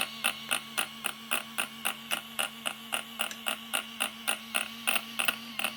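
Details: Arrma Kraton RC car after installing a new servo: sharp regular clicking about four a second over a faint hum, wheels and servo not moving; electrical or drive fault, cause unclear.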